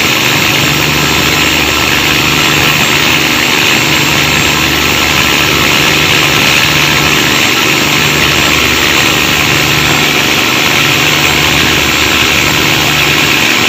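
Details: Cummins KTA19 marine diesel running noisy and giving black smoke: loud, steady, harsh hissy roar over a rough low rumble, noisier than a healthy engine.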